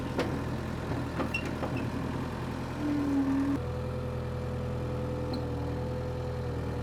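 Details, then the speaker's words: Power Trac 1850 diesel tractor after fluid changes, mower spinning: steady even diesel drone at constant pitch under load, no knocks or misses; normal running under load. "that's what I'm talking about we got it running got the mower on there she ran great and the mower ran great but the tractor ran great everything ran great"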